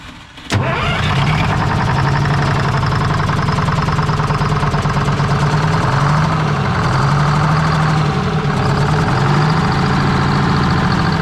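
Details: 1973 Freightliner cabover diesel on 24-volt start after freeing stuck injectors and refitting valve covers: cranks briefly, fires at once, settles into a steady, even diesel clatter at idle with no misses; running cleanly.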